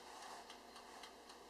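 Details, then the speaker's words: Oster TSSTTVCG03 convection countertop toaster oven with turbo convection switched on for the last 5 minutes of baking lasagna: even soft timer tick about four per second over a faint airy fan; quiet, normal fan and timer. "can hear the quiet fan start going with the timer. It's not too loud at all."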